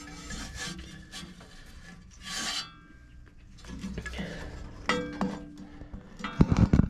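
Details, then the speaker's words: 1973 Briggs and Stratton direct-drive Giant Vac leaf blower, long unused, fan turned slowly by hand; uneven metal-to-metal-sounding scraping as the blade catches on a large mud wasp nest in the housing corner. "there is a humongous mud wasp nest in the corner like right about in here and that's right where that fan blade is catching it sounds like metal to metal contact"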